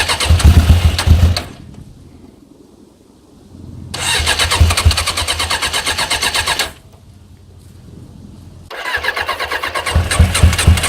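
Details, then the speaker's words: Suzuki GSX 600 motorcycle project after fitting a new switch: engine catches in bursts, dies back and catches again with an uneven lumpy beat; hard start and rough running, smoking possibly from WD-40 on the manifolds, with loose manifold bolts; cause unconfirmed. "so she van gock she sounds brutal she was smoking a bit but I think that's because of the wd-40 from the manifolds"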